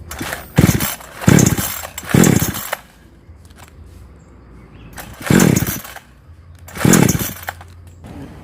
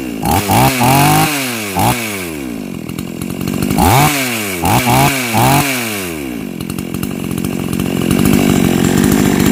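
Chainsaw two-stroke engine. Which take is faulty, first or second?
first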